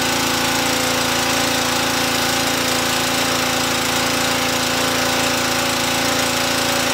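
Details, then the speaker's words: Briggs & Stratton Brute pressure washer (described as a little Honda engine), first test run after a choke start: a fast, steady engine drone with even pump pulsing at constant speed under load. Normal running. "it held ran just fine so I think I've successfully tested the pressure washer and I think this little Honda engine did just fine"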